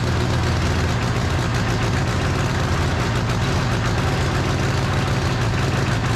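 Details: Freshly rebuilt John Deere 1010 diesel, first start after reinstalling: steady, even chug with deep low rumble, no knocks or misses; smoking expected from oiled cylinders while new rings seat; running smoothly.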